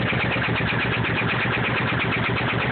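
Steady motorcycle idle with a quick, even light ticking riding on top of the exhaust beat; source of the tick unknown.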